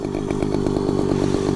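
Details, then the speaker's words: Motorized bicycle with small two-stroke engine, night ride home: engine buzzes hard with a choppy, uneven pulse about nine times a second and the clutch is not engaging; running rough, cause not clear. "look at the clutch guys it's not engaging oh my god that sounds so bad"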